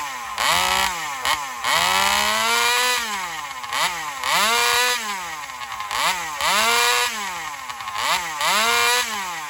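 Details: Alcohol-fuelled chainsaw in a test cut after a fuel line swap, previously starving for fuel in longer cuts. It revs up in bursts, then the pitch sags under each cut; confirmed lean running from fuel starvation. Owner plans a bigger fuel line or metering lever adjustment.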